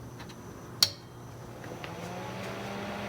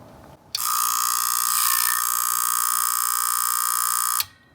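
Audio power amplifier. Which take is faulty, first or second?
second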